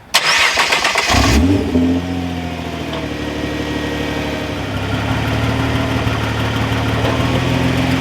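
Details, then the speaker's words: 2014 Nissan GT-R R35, owned three years, idling after start-up with a faint rolling drivetrain rattle; bell housing and drivetrain noises, including actuators when shifting into or out of park and reverse, are common and normal for this car. "so it's pretty common for you to hear a lot of drivetrain noise within the car when you shift from gear into park or park to reverse or anything like that"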